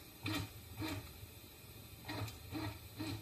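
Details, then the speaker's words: Printrbot Jr. 3D printer, Z-axis jogged from computer software: five short, even stepper motor buzzes with a smooth tone and no grinding or skipping. The axis moves freely. "and this is going to be the z-axis which is the slowest one um so it's just moving up a little bit"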